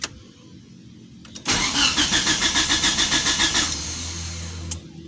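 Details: Old injected Mitsubishi Lancer with a 4G67 GTI engine, after ECT replacement, injector cleaning, timing set, a burnt cable tidied and a blown fuse jumpered: even cranking at about 3.5 turns per second, no start. Coolant temp sensor faulty, owner suspects ECU error.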